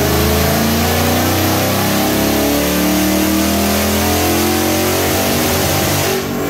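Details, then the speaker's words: 2019 Mustang on base 93 tune, baseline dyno pull at full throttle: rising tone roughens and stumbles, heavy top-end misfire starting around 5600 rpm, pull stopped at 6000; fuel trims and timing looked good, bad spark plugs found. "if you listen very carefully you can hear it misfiring heavy on top end and uh anyway looking at the data log it started misfiring around 5600 RPMs and I left it at 6 000."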